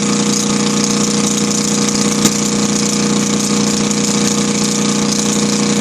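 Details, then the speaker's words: Kohler KD425-2 diesel idling in cold weather after leaking fuel lines were fixed: a smooth, even idle with a steady hum, no misses, knocks or stumbles, and a slight two-cycle-like tone. Normal idle, no exhaust smoke. "right there, I can hear a little bit of that two-cycle tone I was talking to you about. Kind of hard to hear the engine talk."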